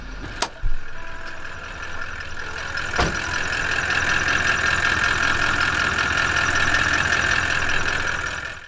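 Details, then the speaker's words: Toyota LandCruiser VDJ76 troop carrier diesel idling in neutral: a steady high thin squeal that goes away when the clutch is pushed in. Worn clutch release bearing, possibly also the clutch fork and its pivot; gearbox coming out for the fix. "when I'm just driving along normally you can hear a weird squeaking maybe it's better if I put it in neutral for this anyway if you can't hear it it goes away when you push the clutch in now what this means is that the bearing that's operating the clutch is a bit rubbish"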